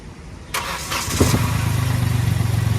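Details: Vehicle engine start/stop: dull thud from underneath as it catches, then steady idle; noise comes and goes, heard inside the cabin; first check is a loose centre engine mounting.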